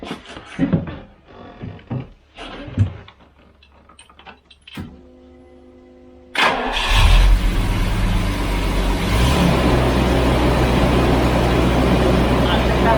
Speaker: sadly that was a bit of a false positive however there was good news just one minute um it ran on 11 again after a couple seconds so i did the whole thing one more time it ran on 11 again